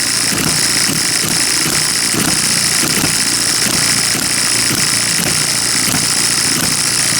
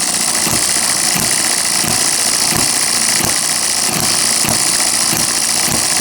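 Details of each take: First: Miniature hit-and-miss engine after dismantling and piston ring rebuild, possibly needing a sleeve; quick steady chuffing over a high whir, running faster than the owner likes, maybe from carb settings (suspected, not confirmed); engine running too fast. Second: Miniature hit-and-miss engine after piston ring rebuild, governor apparently working, mixture thought way too rich; sharp regular firing pops about every two-thirds of a second over a hissy background; normal running on governor.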